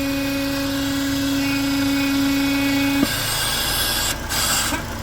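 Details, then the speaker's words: Renault Duster Oroch, 54,484 km, idling with an intake manifold vibrating and a steady mid-pitched whistle that changes when the PCV line is pulled, confirming a fault in the crankcase ventilation (PCV valve) system. "y aquí ya podemos Escuchar Cómo varía El sonido del motor lo que me confirma que el problema está por aquí por el por el sistema de recirculación de gases de vapor del motor"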